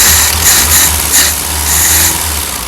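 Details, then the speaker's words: Porsche 914 Type 4 VW engine, just started with a new $100 carburetor after being full of water: idles under a loud airy hiss that swells and fades over a low beat; a vacuum leak is suspected, possibly from the intake setup. "still sounds like it's got a vacuum issue that could be this thing I don't know if this is going to help at all but this whole setup is probably causing some vacuum issues"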